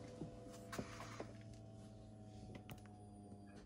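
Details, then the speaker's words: BMW E36 after 8 months off the road, rear wiring just plugged back in after a first attempt with no pump heard: soft steady electric hum for about three seconds, then cuts off; rear fuel pump priming normally, pushing fuel forward. "Esam saštepselējuši aizmugurē visus vadiņus. Tagad vajadzētu būt. O! Var dzirdēt sūkni aizmugurē."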